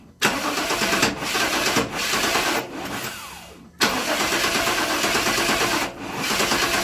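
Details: 1997 GMC Yukon 5.7 L with suspected injector problems: repeated bursts of starter cranking with short pauses, never catches; choking attributed to over-advanced ignition timing.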